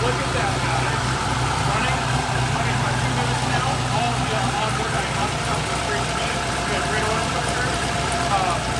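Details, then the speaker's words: Mazda Miata with LS V8 swap, first start in 7 months after fuel system, injector and intake updates, bigger cam fitted; cold start idling about 1000 rpm (850 target set with previous cam), choppy lumpy idle, good oil pressure; normal cold idle with lumpy cam. "the idle for this car set at 850 and that was with the previous cam for that choppy idol um so a thousand is actually pretty good for a cold start"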